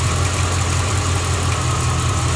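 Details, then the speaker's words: 1986 Corvette L98 TPI 5.7L V8 after cleaning a clogged plenum EGR port for EGR code and failed emissions; smooth even idle, steady low rumble, no knocks, misses or ticks, idling properly; normal idle. "it looks like we got it back together right so I guess next step is to go to the admissions test center sounds like it's idling properly"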